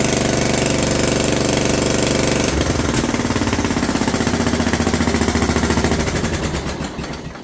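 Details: John Deere LT150 with swapped-in 15 HP Kohler single-cylinder engine, no choke, after fuel pump primed: loud harsh popping about 200 per minute, slowing as it winds down; exhaust leak at overlong exhaust studs, later redone, plus loose spark plug leaking compression.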